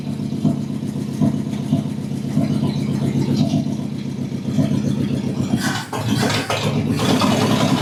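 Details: 1969 Chevy C10 half-ton short-bed V8, first run after about 40 years: points and rotor cleaned, cap wire-wheeled, gravity-fed fuel. Low, even idle with a steady thumping beat, running on its own; normal idle.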